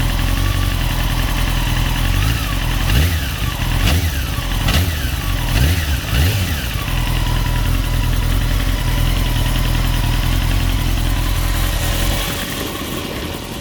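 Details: 2002 Honda CBR 954RR idling with metallic clicking/ticking, then harsh metallic rattle like crackling gears each rev; no power loss, clutch feels fine; owner suspects clutch or cam chain tensioner, unconfirmed.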